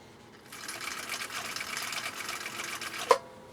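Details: 1959 Husqvarna Viking CI-21A sewing machine straight-stitching tricky bubble-gum-style material: light, even rapid stitching chatter for a few seconds, then stops with a single click; running smoothly and healthy.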